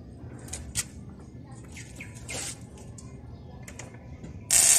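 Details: LG 21-inch CRT TV, powered with no display: sharp irregular snaps and crackles ending in loud sizzling hiss, high-voltage arcing around the anode cap; fix is cleaning the cap area after discharging it.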